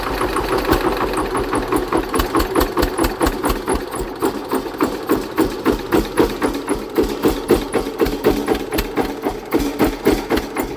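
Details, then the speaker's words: Hatz diesel engine converted to Otto cycle running on woodgas from a gasifier: hard, sharp beat about four per second under load, harsh firing; ignition timing advanced too far. "I think the ignition Advance is too too much let me uh ache that a bit"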